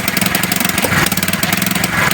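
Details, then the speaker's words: 70cc motorcycle, single cylinder at idle: loud uneven stumbling beats with dropped pulses, then it dies; misfire traced to a shorted spark plug, cured by fitting a new plug. "ये एकदम ही घुड़प घुड़प ये बंद हो गई। यानी कि यही missing का मसला है।"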